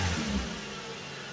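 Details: Suzuki Vitara revived after sitting 13 years, run 15–20 minutes at a time to free up: engine settles from a brief rev into a smooth steady run with no knocks or misses; running fine so far.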